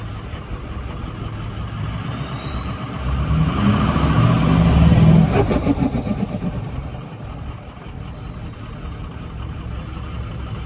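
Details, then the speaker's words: Diesel truck with 6.0 Powerstroke and stage one Power Max tune, died on the way home: revs up with rising turbo whistle, then drops to uneven, choppy idle; owner suspects fuel gelling. "I'm on the way home and this died and listen how bad it's running right now"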